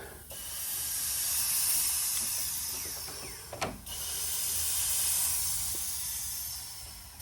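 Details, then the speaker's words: Turbocharged Corvette with a big single turbo that feels lazy on boost, under a boost leak test: a steady sharp hiss of air escapes as the intake is pressurised, fading and returning. The leak is at the mass airflow sensor seal. "soon as I put air into it it's immediately leaking out it sounds like it's coming from right over here so I'm gonna do a little digging around see if I can find this thing because that's leaking out all the air immediately"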